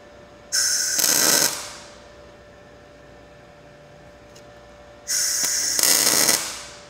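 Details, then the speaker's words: Blue Demon BLUEARC 140MSI 110V 140A MIG inverter, synergic mode, fine-tune centered, low wire speed, tacking thin metal with no shielding gas: two short harsh sputtering arc bursts; fixed by running gas. "it's making me wonder if I need to run gas through this line let's try that"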